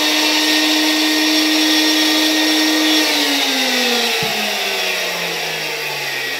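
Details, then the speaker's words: 1964 Gamma II vacuum cleaner KASB-70/30 motor on mains after cleaning and greasing bearings, without interference capacitor: steady high whine with heavy rushing hiss, winding down smoothly after switch-off; rough-sounding, owner thinks bearings need replacing. "silnik działa Wydaje mi się że jednak trzeba będzie tutaj wymienić te łożyska"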